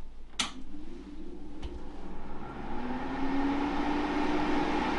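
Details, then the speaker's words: Dehumidifier with fan and heater switched on, heard from beside the unit so louder than normal: switch click, then fan spins up to a steady soft airy hum with a faint low tone; normal, quiet fan operation, meant for loft install with ducting. "it's quite quiet i'm standing by the side of it so you're hearing you're hearing it as being louder than it would normally be"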